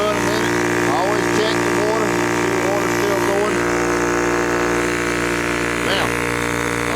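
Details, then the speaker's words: Yong Heng air compressor for PCP airguns, started with valves open so no pressure during warm-up: loud steady motor drone, even pulsing beat, no knocks or squeals; motor note changes as valve closes; normal warm-up. "let it run a little bit. I'll close that one. You can hear the difference in the motor."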